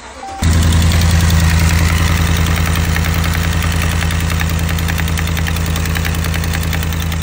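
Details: Ram 1500 V8 at idle with a sharp, steady tick, about three or four per second, from a leaking exhaust manifold gasket.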